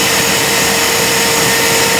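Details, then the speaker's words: Ariston Aqualtis 8 kg Class A tumble dryer running with a steady rushing hum and a rubbing, grinding noise that keeps increasing; damaged motor bearings confirmed, motor must be removed and its bearings replaced. "so the bearings need to be replaced I don't know if you can hear it you have to remove the motor and from the motor you have to replace the bearings so the noise you hear is the damaged bearings"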